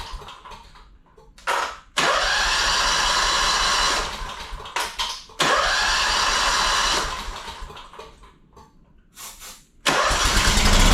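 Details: Two-cylinder Honda engine after sitting 10 years in a shed, fed from gas jug, carb cleaner sprayed in throat: fires, runs hard a couple seconds, sags and dies repeatedly; not getting fuel, carburetor suspected, unconfirmed.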